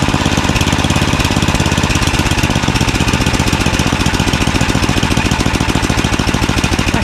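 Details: Craftsman 29" snowblower, 9HP Tecumseh single-cylinder, after carburetor cleaning with a blocked pilot jet cleared: fast, even popping holding one steady low idle speed with no rise and fall, stable healthy idle.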